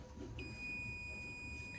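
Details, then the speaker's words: Millipede arcade board with a graphics fault, continuity probe between +5 V and ground: a clean, steady high-pitched beep for over a second; rails connected through resistance, not a dead short. "So that means that they're connected, but there is resistance between the two, therefore it's not a dead short."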